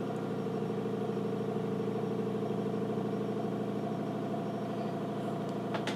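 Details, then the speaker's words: Nikon LS-8000 ED film scanner running a VueScan scan of two color slides back to back, autofocusing first; steady, even mechanical hum with soft regular pulsing, no grinding or clicks; normal slow scan. "it should scan both of them one after the other and save both of them to our computer"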